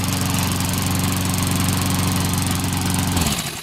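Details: Rickel-branded Murray mower, possibly dated 07/08, single-cylinder engine started with choke: steady even firing, no knocks or misses, then shut down; normal running.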